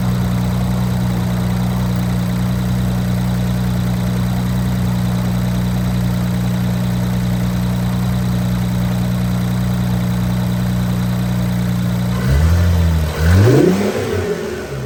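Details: Infiniti Q50 3.0t (VR30) with FBO tune, just after installing new Alpha intakes: steady, even low idle for about twelve seconds, then a few clean throttle blips rising and falling smoothly; healthy engine.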